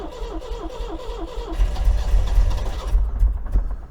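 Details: MGB engine after oil, filter and plug change and tappet adjustment, oil put down the cylinders, very stale fuel: slow, even cranking about four a second, then catches and runs ragged; hard start, compression still low, carbs suspected next.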